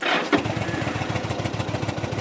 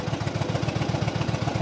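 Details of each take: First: 2007 Yamaha V Star 1100 V-twin, cold start with fuel on reserve and possibly low; brief crank then lumpy, uneven beat as the cold-blooded engine is reluctant to settle, then sounds good; hard cold start. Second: 2007 Yamaha V Star 1100, cold-blooded start on reserve fuel needing heavy throttle: even loping thump about seven beats a second, steady with no misses or clatter; healthy twin idle.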